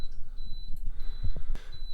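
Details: Viqua IHS-12 D4 UV water purification unit beeping repeatedly, short high-pitched beeps about once a second, during first fill after installation; the manual apparently indicated a low-voltage warning.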